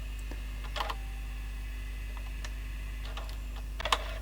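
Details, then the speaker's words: JVC GR-AX200E video camera tape mechanism: quiet motor hum with irregular small clicks and rattling burst on fast forward; mechanism struggling, probably why it chews tape, and picture goes weird; later shuts off. "you can hear it making weird noises that's probably why it chews and now it's made the picture go weird"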